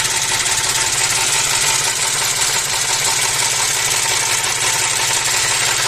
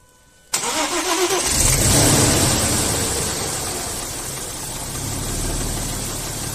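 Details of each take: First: Audi A4 V6 with oil pressure warning flickering, worse when revved; rough uneven idle with rapid irregular knocking under a loud hiss; suspected oil pump; engine knock with low oil pressure. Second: Audi A4 V6 that had a knocking noise and flickering oil-pressure warning, after repair: engine catches quickly and settles into a smooth, even idle with no knocking like before; normal start and idle.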